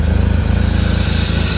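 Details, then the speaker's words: Abandoned E34 BMW 535i, M30 six, sat 12 years, with a fuel pump issue: quick, regular low pulses that stay even, with no tapping or knocking; very quiet motor with a nice purr, running like a dream. "She is running like a dream. Very quiet motor, I must admit, especially after sitting for 12 years. Got a nice little purr to it."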